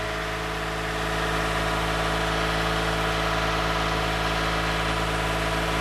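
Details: 2015 Toyota Sienna AWD 3.5 after replacing the donut gaskets and spring bolt kit on both sides of the rear catalytic converter: a smooth, even idle with a steady low hum and no puffing or ticking. The exhaust leak is fixed.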